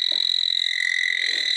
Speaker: So we've gone away and come back just to be sure. Up. Yep, my sniffer is upset.